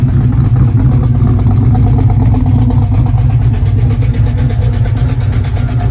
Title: Lifter Tick or Exhaust leak, not running the best